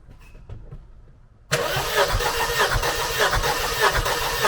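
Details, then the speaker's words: Mercedes-Benz 190E Cosworth 2.3 16v during FuelTech relative compression test: cranks with an uneven lumpy beat, one pulse weaker; one cylinder at about 5 psi, suspected stuck ring; low compression cylinder. "Think and have no compression! There's about 5psi. There must be something locked up, because it doesn't smoke."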